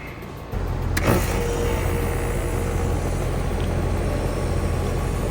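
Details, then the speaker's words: Hayward HP31204T heat pump compressor starting cleanly after replacing the bad capacitor, settling straight into a steady, even low hum; normal startup. "And that, my friends, is what the compressor should sound like when it starts up."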